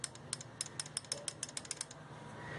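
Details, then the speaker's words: Cold start injector on a 5-injector engine with slow starting, tested with the engine off: crisp light ticks about six per second, so it switches but sprays no fuel; suspected clogged or stuck. "se escucha que suena pero está tapado seguramente porque no avienta combustible"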